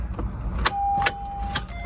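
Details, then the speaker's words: CNG natural-gas Honda Civic, ex-AT&T, at auction, past due on its CNG inspection: starter turns the engine over with regular pulses about twice a second and a thin whine, but it never fires; crank, no start. "Uh-oh. Crank, no start."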